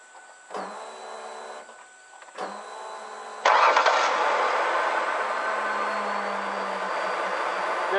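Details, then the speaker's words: Ford Taurus 3.0 at key-on, before fuel pump/sender replacement: loud steady bumblebee-like buzzing hum in bursts then droning; worn in-tank fuel pump, still works but noisy. "ns okay it works it just makes a heck of a noise all started up and you can hear the sound and I'm sure if you have a Taurus it's probably doing the same thing a God awful noise it sounds like a bumblebee"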